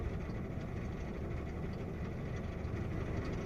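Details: Opel Astra J 1.4 petrol with check engine light, idling: rough, uneven low thrum, engine shaking as one cylinder keeps missing; scanner shows misfires on cylinder 1, 0 on cylinders 2–4; coil pack removed to inspect for a cracked housing.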